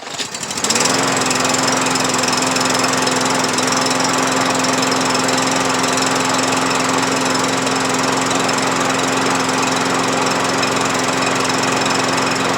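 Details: MTD push mower fitted with a replacement overhead-valve engine and a new blade, after repairs: catches within a second and settles into a steady, even drone with constant pitch and no misses. Running normally.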